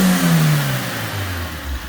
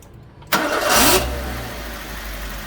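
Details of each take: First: Suzuki Swift: short rev blip rising then settling to an even note, no misfire or rattle; runs properly, no check engine light. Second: Suzuki Swift engine misfiring on start-up after fitting a K&N universal air filter from a Fiesta; catches then sags into a low, uneven rumble that nearly dies, struggling to hold idle; no check engine light, smells of petrol.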